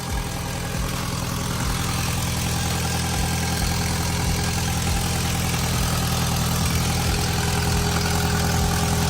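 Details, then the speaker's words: MK1 Audi TT after rocker cover gasket replacement and engine flush, idling: rhythmic puffing tick about three times a second; exhaust blowing at a joint, seeming to get worse. "that blow on the exhaust sounds like it's getting worse"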